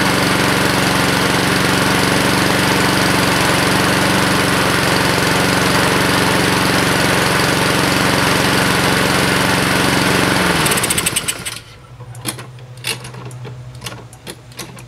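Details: 2014 Husqvarna HU700F self-propelled push mower with Honda GCV160 engine, bought as-is, fresh gas in a previously empty tank, no carb clean: starts right up, runs smooth and even at steady speed, then winds down and stops cleanly; normal running.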